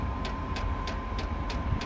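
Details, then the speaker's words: Chinese diesel heater on first start, not primed: pump ticks about three per second over a faint fan hum with no burner roar, then it shuts down; failed start with no diesel reaching it, priming needed. "oh she's starting to make some noise nope and it shut down no diesel"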